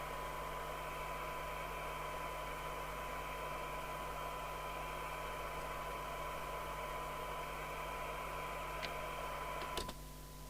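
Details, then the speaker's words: Interceptor TC300 CB27/81 UK FM CB radio on receive test, about 3 µV sensitivity, fixed reference crystal off frequency; constant hiss buries a thin steady test tone, audio weak and rough: noisy weak receive from off-spec reference crystal. "so that's three micro volts it's just crummy"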